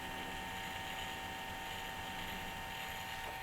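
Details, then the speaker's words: Texas Instruments Extensa 550CD laptop with a 524 MB hard drive, at power-on: constant rough whirring grind with a steady high hiss; owner suspects the hard disk constantly trying to load, or a bad fan. "sounds like the hard disk is constantly trying to load or something but it's not loading anything right now something that's just like a kind of gross fan or something"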